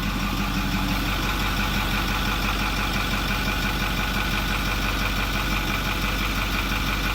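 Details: 2008 Ford F250 6.4L turbo diesel with code P2291 that started then died once hot; after replacing the electric diesel fuel pump and purging the air from the system it starts and idles evenly with steady, regular clatter, no stumbles or hunting.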